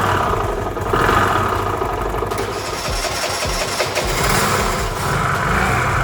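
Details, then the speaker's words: Restored Piaggio Vespa 50 LX two-stroke scooter, first cold start after carburetor adjustment and vacuum fuel-line refit: catches without throttle and holds a busy, even buzz with light throttle blips; normal start and revving. "Хорошо завелся, без газа, без ничего. Сейчас прогреется и буду дальше собирать, потому что проводку тут разбирал и так далее."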